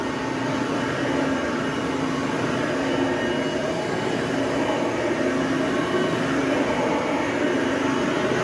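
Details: Hoover Platinum UH30010 upright vacuum after cord replacement and service, running on carpet: steady, even motor hum with constant mid pitch and no rattles or scraping; sounds healthy.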